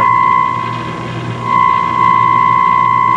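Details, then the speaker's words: Philco 50-920 tube radio fed from a signal generator into the IF stage: steady test tone with a crackly hiss swelling and fading irregularly; intermittent noise, bad mica capacitors in the IF transformer cans suspected. "getting the signal through but there's still there's still noise and the amount of noise seems to vary intermittently so i really think there's bad caps in those if cans"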